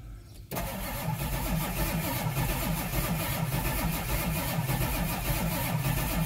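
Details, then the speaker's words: Ford Power Stroke diesel with 143,000 miles that didn't start before, slow uneven lumpy cranking with no catch; rough crank, no start, owner fears a dead cylinder. "i'll have to do some checking into this thing doesn't sound very good right now hopefully it's doesn't have a dead hole or something"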